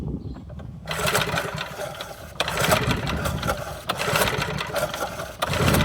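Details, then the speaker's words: Montgomery Ward rototiller no-start, spark plug reinstalled for test: four recoil pulls about every second and a half, whirring crank with no pop or firing; no spark confirmed, ignition under shroud to be checked. "I would say we have no spark."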